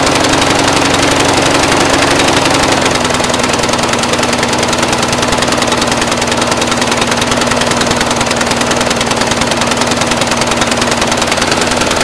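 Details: Brand-new Briggs & Stratton 450 lawn mower, under 2 hours' use: hunting idle, uneven chuffing about three per second over a steady drone, rich-sounding. Black smoke, sooty plug, throttle has no effect; smoother tipped back. Rough idle, cause unconfirmed.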